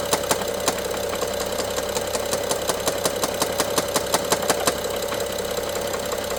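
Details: BMW F07 N55 at idle: sharp irregular ticks and rattles about three a second from top end, loudest by cylinder 1 injector and mid servo connector, worse with throttle, intermittent; timing chain looks OK, source unfound.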